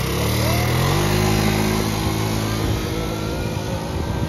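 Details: Yamaha Breeze 125 quad with fairings refitted, after replacing a frayed, broken throttle cable that had kept idle stuck high: the engine catches, climbs into a steady buzzing idle, then settles lower with no misfires or rattles; normal start and idle.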